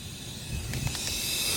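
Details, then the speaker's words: Dodge Caliber SRT-4 boost leak test at about 10 psi with homemade tester: steady high hiss as intake is pressurised, air escaping; owner suspects throttle body to intake manifold gasket, unconfirmed. "You can hear it, right? Pissing out somewhere. Maybe it's my intake manifold."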